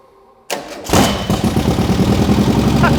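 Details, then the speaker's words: 1600cc twin-port VW T25/T3 engine (CT code), bought cheaply and test-run on used parts and simple wiring after spark, oil and timing checks: short crank, fires straight away and settles into a steady, even chuffing idle; healthy start. "we managed to bring the Thunder and get that fired up straight away super happy with it"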